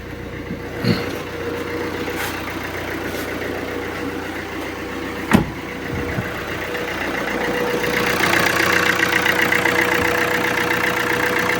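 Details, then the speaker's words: Alfa Romeo Giulietta 1.6 MultiJet diesel after bad-idle repair, first start: even idle with steady clatter, a couple of brief knocks early, then settling smoothly; engine running healthy, idle fixed. "I will let it run for a while, but it seems good. First starts are always a little bit odd."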